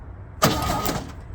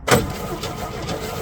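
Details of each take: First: 1964 Chevy C10 pickup on its original drivetrain, first start attempt in about 30 years in cold weather with a fresh battery: a short, brisk burst of cranking, the starter spinning the engine freely, then stopping; the starter sounds healthy. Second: 1964 Chevy C10 with original old six, first start in 30 years on a very cold day, bottle-fed fuel: catches and stumbles unevenly, weak and lumpy with hesitant firing, then cuts out; runs but weak.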